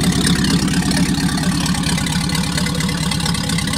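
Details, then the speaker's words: Packard 356 nine-main-bearing marine straight-eight, first run after rebuild, excess oil on cylinders clearing out: even steady firing, smooth low rumble, no knocks or misses; final adjustment pending. "first run after rebuild so we had lots of oil on the cylinders and that all had to be kind of cleaned out so i think we're getting there now"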